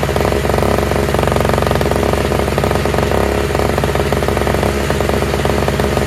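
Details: Toro/Craftsman single-stage two-stroke snowblower with electric start, running on fresh mixed gas after priming; loud even buzz at steady speed with no misses or knocks; all it needed was gas.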